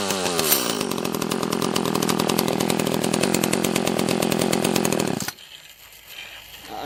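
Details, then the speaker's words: Echo CS-330T top-handle chainsaw, carb set half a turn out on both screws: rough uneven firing about five seconds then abrupt cut-out; lean fuel starvation, later traced to a gasket covering the carburetor vacuum passage. "sounds like we might be out of gas"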